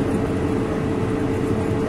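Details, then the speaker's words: Whirlpool gas dryer that had no flame, disassembled during preventive maintenance; the igniter comes on, then the gas valves are heard opening as a steady low hum and rush with a faint click. The burner lights normally. "Se escucha, ahí entró ya lo que es la resistencia o el encendedor. ¿Sí? Y aquí se va a escuchar las válvulas abriendo."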